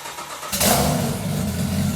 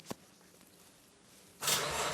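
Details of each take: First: GT-R RB26 engine in a turbocharged Datsun 240Z, first start with drive-by-wire ITBs, minimum idle throttle lowered from 20% to 5%: fires after a moment's quiet, settles into steady, even idle, no hunting or misfire; healthy. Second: Nissan RB26 GT-R engine in a 240Z on its first start, no exhaust fitted, oil pressure confirmed: the starter churns about three beats a second but the engine never catches; crank, no start. Owner suspects the untouched map and too little throttle opening.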